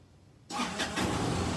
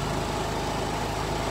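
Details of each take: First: Kymco scooter that began running poorly: starts, sputters and dies twice, then idles unevenly with a lumpy beat. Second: Kymco scooter after carburetor refit, fuel pump reconnected, fresh fuel, on troubleshooting battery: steady, even low putter idle with no misses or knocks, sounds considerably better; normal idle.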